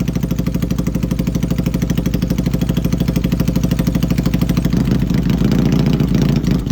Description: XS650 Showing Misfire issue running Gonzo